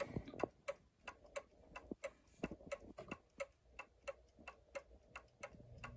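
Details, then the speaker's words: New Haven Clock Company Horace model clock, movement about 42 years since last oiling, running with one side lifted: ticks come in lopsided uneven pairs instead of even tick-tock, out of beat; fix is bending the pendulum hanger toward the lifted side. "clean it's a little out of beat though it shouldn't be it should be even like that"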